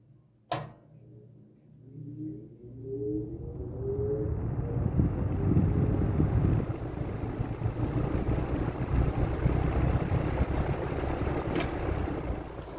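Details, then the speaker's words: Old Wells box fan with oil ports, missing its front grille, thermostat bypassed, possibly a Markell or W.T. Grant, started on low speed: a switch click, then a hum swelling to a steady, even whir. A normal startup. "we'll fire it up on low speed and we'll get you a startup sound because this thing probably has an epic startup sound"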